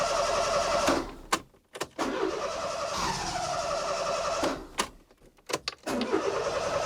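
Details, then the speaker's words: Fiat Panda 4x4, hard-starting with a hunting idle since its turbo kit and ECU were removed, today won't run at all: starter bursts that almost catch, then fade. Cranks, no start; the owner suspects fuel-fouled spark plugs. "Yeah, today it won't run at all. And this just seems to be evolving every day. I don't know what's going on. I'm pretty sure it's down to the spark plugs being fouled by too much fuel."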